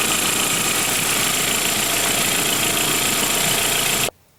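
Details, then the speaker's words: 1999 VW Passat GLS 1.8L L4 turbo after a water pump replacement: the engine holds a steady, even idle with a constant hiss on top and no knocks or stumbles. Normal idle. "She's a-running."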